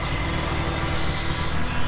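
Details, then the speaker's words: Nissan 350Z with recurring camshaft sensor issue, scan tool connected showing no codes: low, deep idle with slightly uneven lumpy beat, starting to idle weird; usually cuts out after 10–15 minutes idling and is then hard to restart; rough idle, cause unconfirmed. "i'm going to see if i got any coats coming up you can already hear it kind of start to idle weird"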